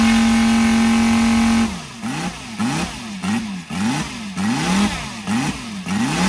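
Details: Brand-new Saito FG-73 five-cylinder radial, fully upgraded with Morris Mini Motors hardware and exhaust ring, on a Biela 20x10 four-blade prop (600–5500 rpm): smooth, even high-rev tone, then clean rises and falls on each throttle blip; normal, healthy running.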